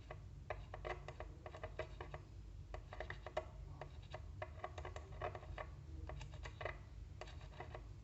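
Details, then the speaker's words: Car subwoofer bench test, leads from a battery or multimeter on ohm scale touched to the terminals: irregular soft clicks and scratchy ticks as the cone responds to each contact; voice coil good, subwoofer fine. "kalau misalnya kita Sambungkan ke ke sini yang ground-nya ini harusnya ee ada suara kalau misalnya subwovernya baik atau bagus ya"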